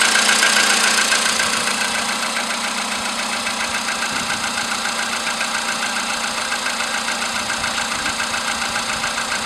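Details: VW Polo sedan with CFN engine, cold start in the morning after a night at about 10°C outside: sharp, steady metallic tapping three to four times a second above the idle hum; engine knock, cause not pinned down.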